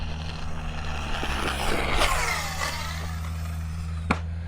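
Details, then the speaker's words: Typhon 6S RC buggy after a rebuild, running at about half throttle with a broken input gear that was missed: steady electric motor hum with irregular sharp clicks only under throttle, not under braking, like a gear with missing teeth skipping. "Man, I do not like that clicking noise, guys. It just does not sound good at all."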